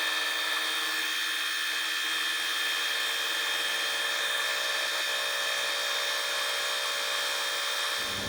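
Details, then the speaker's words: Fly cutting the top of a Ronaldson & Tippett engine's cast cylinder head at slow feed, about an inch a minute: steady high ringing from the cutter, no chatter or stalling; normal clean cut. "So I'm going to be feeding this at, oh shit, what is it, inch a minute. I just want to go real slow and just watch it do its thing."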